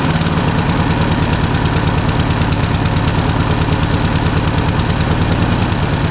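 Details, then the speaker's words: Rover Combat lawn mower single-cylinder engine, stone cold start on choke after fitting new blades: steady, fast even beat, running cleanly and healthy; normal running. "Okay, so it is a cold start, completely stone cold, freezing cold, good to say."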